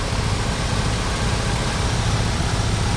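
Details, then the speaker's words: 1988 Dodge B250 Roadtrek van, 318 TBI V8, on a road test after fuel injector and temperature sensor replacement: even, steady engine drone under road noise, no misses or stumbles; running smoothly. "take it for a ride working really well wearing smooth well worth doing"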